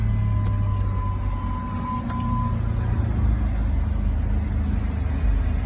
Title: Was a no crank no start🤦🏾‍♂️ needs a battery. Test started with used battery. Started successfully